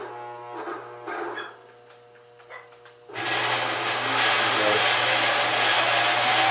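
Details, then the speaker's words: Honey extractor retrofitted with a non-freewheeling worm gear motor: low growl as it jerks to a start, then it spins up fast into a steady, even whir; normal gearmotor spin-up. "it spins up pretty fast, so once you get it going, you gotta back off the speed a little."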